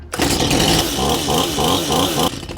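Sharp buzzing two-stroke note catches and holds a steady, slightly warbling pitch; the saw fires and runs properly with the flooding cleared.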